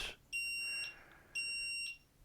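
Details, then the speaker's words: Solax Transformer mobility scooter that keeps stopping, grounded out by user: shrill half-second beeps repeat about once a second on switch-on; nine-beep brake error code. "but I've got to investigate what's happening with this break because there is break error turn it on"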